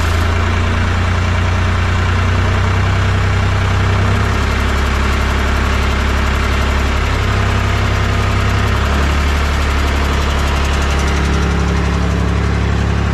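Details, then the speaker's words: Mahindra 3525 diesel tractor at 18–19°F, about four to five minutes after a cold start and not yet fully warm: steady, even chug with no misses or knocks, now smoothed out. Normal idle. "a y sound like it run a little bit better now it took at least I don't know four or 5 minutes before it kind of smooth out out there see like it's running a lot better now"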